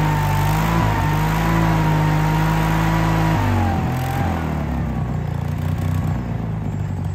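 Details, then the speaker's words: Case 1816C skid steer sat 10+ years, first run: steady engine drone with a whine dropping sharply in pitch as load comes on, bogging like a starved hydrostatic drive; owner suspects hydraulic oil drained out. "it didn't move I mean it tried to move but it sounded like it was starving um so I'm wondering if all of the oil hasn't drained out of um all the hydraulic oil drained out of it"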